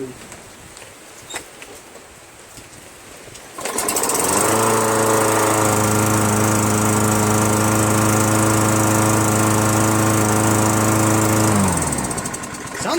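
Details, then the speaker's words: Toro Recycler mower, Kohler engine after auto choke thermostat arm flipped to correct orientation and quick carburetor clean: starts and holds a steady high-pitched drone without hunting; owner thinks rpm too high and plans to bend the rod back, unconfirmed. "I think it's revving too high you know the rpm I'm gonna just Bend that rod back a little on the Tecumseh's on the inner part here"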